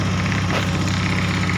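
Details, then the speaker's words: Honda Beat ESP scooter with a history of stumbling and stalling, idling cold and unused at 42° engine temperature, about 1,400–1,500 rpm, no fault codes stored; even, steady low putter with no misses, knocks or surges, a healthy idle. "rpm nya ini Rp1.000 ya wis nggak masalah 1400-1500 ya rpm nya temperatur mesin karena ini agak dingin motornya belum dipakai ya 42 suhunya ya"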